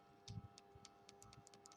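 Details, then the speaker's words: Phone power button in working condition, compared with a broken one that feels empty and silent: short, crisp clicks with each press; normal firm power button click. "Okey, dia akan bunyi macam tu. Dia akan bunyi macam tu."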